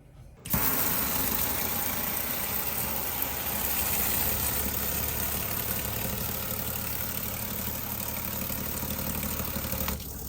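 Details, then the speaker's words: Newly installed ultra-quiet RV water pump replacing the failed loud one: starts and runs with an even, steady hum, no rattle or surging for ten seconds, no leaks; much quieter than before, normal operation. "Mission accomplished, guys. All right, so a lot less loud. Still hear it, but it is a ton less loud."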